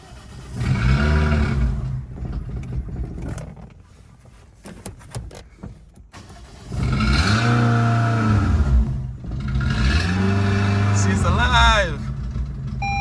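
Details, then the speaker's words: Toyota Ractis (about 2008) 2SZ-FE after home engine rebuild, first start: cranks, catches and revs loud and raw with uneven bursts; throttle-body vacuum hose found disconnected causing rough running, exhaust disconnected causing loudness. "So at that point, I discovered that one of the cables, actually vacuum cables that connects to the throttle body, was disconnected. That's why the car was misbehaving like that. And also, I had the exhaust disconnected. That's why it was making that loud noise."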